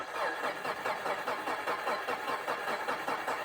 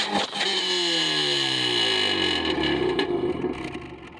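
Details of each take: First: Subaru after mud got into intake, MAF cleaned and throttle body cleaned, now idles where it wouldn't before; uneven lumpy pulses about two and a half a second, rough idle, owner suspects throttle position sensor. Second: Subaru revved after the mass airflow sensor was thoroughly cleaned: revs climb and fall smoothly through several blips, then settle and pick up cleanly with no stumble. The engine is now running right.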